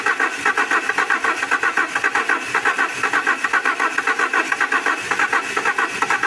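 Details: An Alfa Romeo 147 Twin Spark came in for misfires, rough idle and hard starting. It is started after new valve seals and timing work, with the oily coils and leads reused, and gives a lumpy, pulsing idle at about two beats a second while still settling.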